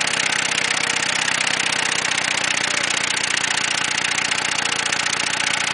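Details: Ford Taurus engine running with no oil in the pan: harsh rapid knocking nearly two a second rides over the idle; oil-starved rod bearing knock, run until it froze up and stalled.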